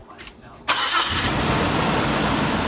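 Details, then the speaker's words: Engine catches almost at once and settles into a steady, even run while a charger is hooked to the battery; without it, it only clicks and sometimes fails to start, showing low battery voltage rather than a bad starter. "So every time it starts with the charger, but not every time without it hooked up."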